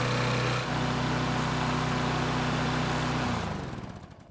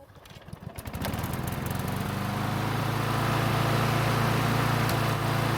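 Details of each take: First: Snapper mower after full overdue maintenance, fitted with a new carburetor: engine runs steady but noticeably fast and busy for a few seconds before shutdown; speed set too high with the new carb, to be adjusted later. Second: Snapper mower engine warm after about 5 minutes of running, after overdue maintenance: a quick pull fires it at once and it holds a steady, even drone for several seconds; normal hot restart.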